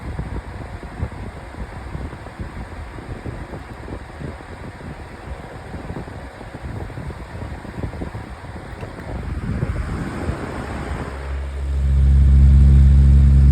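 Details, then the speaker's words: 2024 Lasko 1823 18-inch pedestal fan on high speed: steady rushing airflow with a regular wobbling thump about four times a second; unbalanced fan blade that needs replacing. "I will eventually get the roof blade replaced it so it's not to be like this cuz yeah."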